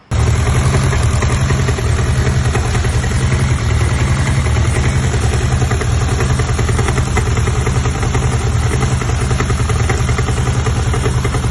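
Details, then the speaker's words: Honda Civic petrol engine idling with a deep, steady knock like rod knock, seemingly from the timing chain side (tensioner swap didn't help); cause: overlong alternator bolt bottoming out, leaving the alternator loose and rattling; fixed with a spacer. "this bolt that holds the alternator was too long so it was bottoming out the threads and the alternator was loose and the alternator was sitting here rattling like this and it literally sounded like a rod knock"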